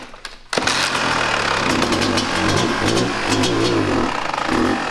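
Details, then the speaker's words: 1998 Kawasaki KX250 two-stroke, rebuilt but running poorly, before repair, started on held choke: catches and climbs to high wandering revs with zero throttle; air leak suspected past crankcase seals; runaway idle. "that was at idle woo yeah I told you it's was bad for it to run it got that high with zero throttle opening it has to be air leak pulling air from somewhere"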